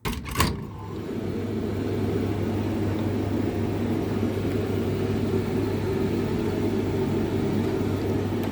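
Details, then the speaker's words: Hotpoint TL51 tumble dryer on a test run, clockwise tumble, high heat check: brief start-up click then steady low hum, drum rumble and constant airflow hiss; runs smoothly. "It's on the clockwise tumble. Yep, but tl51 is drying a little bit longer."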